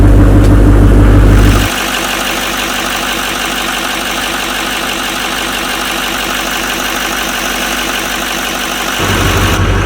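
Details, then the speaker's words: Chevy Silverado Duramax turbo diesel pickup started after sitting for years with batteries out; fires after about two seconds of cranking, then settles into an even diesel clatter about four beats a second, a steady healthy idle. "start after six months starts up two seconds didn't even crank that much"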